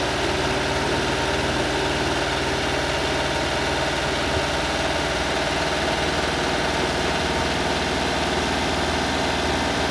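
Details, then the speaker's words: 1996 Honda Acty 660cc 4WD mini truck, cold start with a couple of revs: steady, slightly high idle with an even buzzy beat because the engine is cold; expected to idle down once warm. "there's a cold start in couple little rivs it's riving a little high because it's cold once it warms up it'll idle down a little bit"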